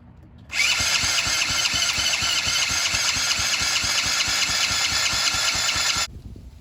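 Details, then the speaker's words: $50 used 50cc Chinese mini ATV with a borrowed Yamaha three-wheeler throttle cable, leaking fuel: the small engine fires right up and sits at a fast, steady idle with a hissy top end. The idle is too high and needs lowering. "sweet gotta lure that Idol down"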